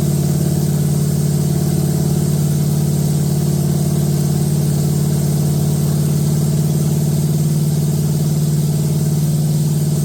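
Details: Date-coded 1969 383 HP Super Commando V8, just moved from a Barracuda into a 1969 Plymouth Road Runner, run with no tach and good oil pressure: strong, steady fast idle with a deep even rumble and no clatter or ticking. Runs healthy.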